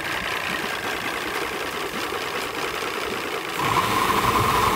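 Uneven idle with loose, irregular knocking about four beats a second and a rise in level near the end; rough-running outboard, cause unknown.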